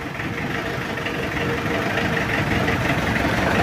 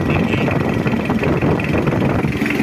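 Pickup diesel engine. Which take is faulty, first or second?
first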